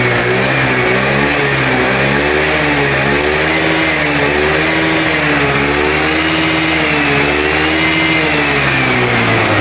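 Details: Honda Vario 110 scooter being fixed for loss of ignition, running after the ignition was checked: smooth, even revving with a steady rise and fall and no misses or knocks; normal revving.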